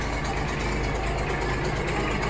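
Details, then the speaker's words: Old Massey Ferguson diesel tractor, barn-stored, started after fuel sediment bowl check: steady low rumble with an even beat, no misses or knocks; running cleanly, started easily. "yeah man oh that was easy"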